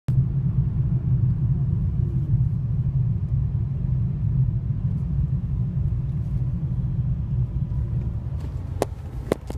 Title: BMW E46 M54B25 325i 2002, rough idle at low temperature